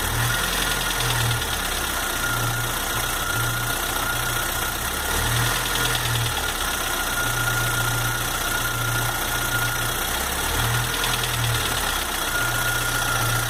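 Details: Chevrolet S10 2.4 gasoline at idle, 15W5 oil, after replacing lifters, rockers, pistons, rings, rod bearings, valve seals, head checked: steady idle with light regular internal knock persisting, cause unknown.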